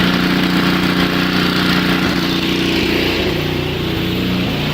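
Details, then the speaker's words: Two-stage snowblower with four-cycle engine, just started cold with electric starter, choke off one notch: fast uneven faltering beat under the drone, sputtering on too much choke while warming up; smooths when choke is reduced further. "and you'll hear that the engine is kind of sputtering a little bit that's an indication that the choke is ready to come off one more knot"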